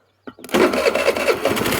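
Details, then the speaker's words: Tao Tao Pony 50 moped with Mikuni 22 carb, about an 80 jet running a little rich: catches and settles into a slow, lumpy putt of about five beats a second, near stalling; owner thinks idle still too low. "Coil wire on. Oh, damn. What? I think the idle's too low still."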